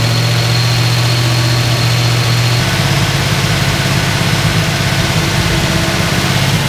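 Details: 1976 Pontiac Trans Am with a twin-turbo V8, Microsquirt engine management and a four-speed: a fast, steady idle around 2,000 rpm with a slightly uneven beat; timing syncs within 2° of the computer, and the cause is not found.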